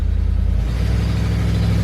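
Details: Stock truck with newly installed E4OD/4R100 trans brake valve body, on flat concrete, held on the brake with throttle raised: deep steady engine drone with no slip flare or clunk; trans brake holds fine.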